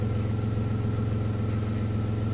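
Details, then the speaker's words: VW Polo alternator that no longer charged, repaired rather than replaced; engine in very good condition, runs flawlessly, a smooth even low idle hum with steady pulse, no knocks or squeals. Normal idle. "sehr guten Zustand, wie man hier sieht. Läuft einwandfrei."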